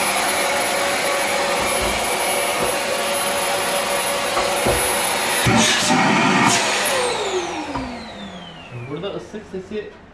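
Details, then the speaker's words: Rowenta Compact Power Cyclonic vacuum cleaner: thin high whistle steadily over the motor roar, sliding down as it spins off; not motor-related, airflow whistle suspected from filter, later traced to badly seated filter. "şu anda ıslık sesi kesildi ya bu motorla ilgili değil motorla ilgili değil bence hava akışı ile ilgili bir soru düşünüyorum"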